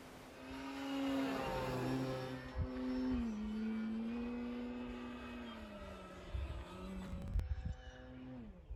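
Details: FMS Pitts electric RC plane after balancing prop and spinner and fixing loose parts, 6 mph wind, 48 degrees: clean electric motor hum rising and falling smoothly with throttle on pass, no buzz or rattle; noise gone, normal smooth running.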